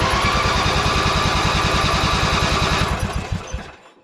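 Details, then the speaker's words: Riding mower, unused for a long time, choke on, being cranked in bursts to pull fuel up. Fast, even starter chugging at about 3.5 beats a second, no catch, then it dies off. Gas smell; owner wonders if it's flooding. "I'm smelling gas. I'm wondering if I'm flooding it."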